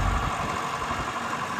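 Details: 1998 Lull 844C-42 Highlander telehandler with 17,000 hours and a rebuilt John Deere 115 HP 4-cylinder diesel, rebuilt about 4,100 hours ago, idling: steady smooth low rumble, no knocks, misses or rattles; the mechanic reports nothing wrong.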